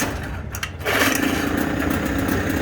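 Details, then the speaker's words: Suzuki DT6/DT8 outboard, after fitting a Chinese walk-behind-tractor carburetor (original carb was the fault): starts within a second and settles into a steady, even buzzing idle with no misses; runs clean. Choke doesn't work with this carb. "Мотор вообще четко работать стал."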